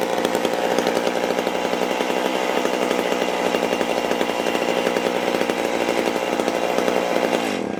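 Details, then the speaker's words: McCulloch Super Pro 81 chainsaw started after many months unused: a steady high-revving two-stroke buzz with a clean, even exhaust note, holding constant and then cutting off. It is a healthy saw. "Guys, that sounds like America. I love the way these things sound."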